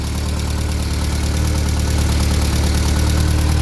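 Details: Classic VW Scirocco Scala after sitting 6 years, first start: steady even idle, smooth low pulse about four beats a second, no knocks or misses; runs normally, oil smoke smelled.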